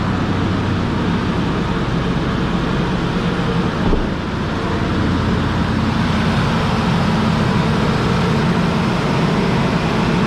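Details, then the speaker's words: Ford F150 after engine swap, first run once the throttle body was plugged in: steady, even low rumble with no knocks, misses or ticks; smooth healthy idle with good oil pressure and charging. "runs like a dream awesome quarter tank fuel battery charging great oil pressure"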